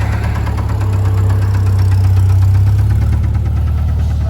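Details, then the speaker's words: BMW on a drag-and-drive trip, fired up after having issues: heavy, steady, deep knock about four times a second at idle; rod knock suspected, not confirmed. "The rod knock is real. Oh, poor thing."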